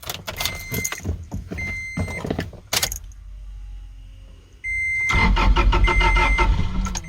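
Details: 2008 second-generation Toyota Tacoma with P0335 crankshaft position sensor code: after some rattling, starter turns over steadily under a door chime but never catches; crank no start, suspected failed crankshaft position sensor.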